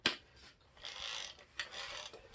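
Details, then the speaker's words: Kirby Diamond Edition vacuum transmission, handle in, drive in neutral: dry ratcheting grind in uneven bursts persists, ruling out the bracket cam assembly; something in the transmission still catching, cause not yet found. "so let me put the handle in and see if this still makes a bunch of noise so got it in neutral oh listen to that"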